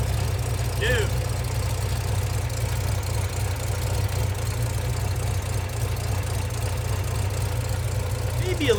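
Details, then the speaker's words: Fox body Ford Mustang started, battery swapped: low, uneven idle with a lumpy, choppy beat and faint ticking; owner unsure if a cam but thinks a bad misfire, heavy smoking. Rough idle. "It may just be a horrendous misfire. But it sounds like it has a cam. But I think it's just a misfire. This thing sounds choppy"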